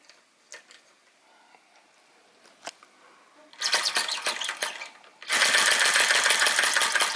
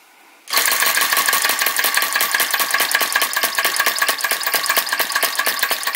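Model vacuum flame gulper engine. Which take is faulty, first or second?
second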